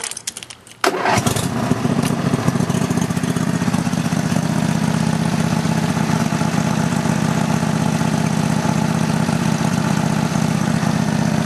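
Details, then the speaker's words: Roper riding mower engine, fired up with parking brake set and a non-original muffler, battery undersized: catches after short crank and settles into steady, slightly raspy run with even beat; running fine. "til I can find a big battery for it but other than that it's it's running pretty good let me fire it up for you"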